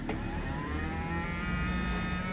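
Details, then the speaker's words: Mio MXi 125 scooter with a check-engine light that started then died and won't run, after the ECU was replaced and the TPS checked good. At key-on a steady low electric whir with a faint buzz is heard. Normal fuel pump priming. "At syempre kapag sinusi natin, dapat magkaroon siya ng fuel pump. Tumunog yung kanyang fuel pump."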